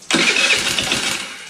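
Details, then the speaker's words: Scooter sitting for years: catches with rough rattly ticking clatter from the front valve train under a hiss, dies when throttle released; owner wonders if valve loose, finds no broken valves, may need TDC valve adjustment. "Hear all that ticking and clattering up front? We're gonna have to take the valve train off the front and see what's going on."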